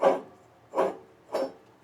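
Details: John Deere D140 mower deck pulley flicked by hand: four short gritty rasps, each fading quickly; rough drag shows a worn pulley bearing.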